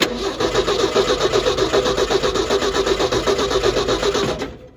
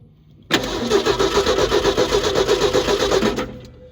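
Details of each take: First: 1968 Ford F100 with 240 inline-six, sitting a while, starter jumpered at the solenoid: strong even cranking about four pulses a second with steady compression on every stroke; a healthy crank. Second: Neglected 1968 Ford F100 with 240 inline-six and points ignition, long sitting, coil hot-wired from the battery: steady starter cranking about four turns a second for three seconds with no firing; no spark at the coil wire.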